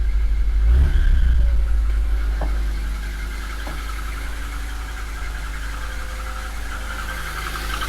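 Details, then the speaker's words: Long-stored 6k-mile Metro, first cold start in years with choke, choke off too soon: idle and revs with thin high fan belt squeal. "i think i can hear the fan belt up choke off too soon definitely got fan belt squeal"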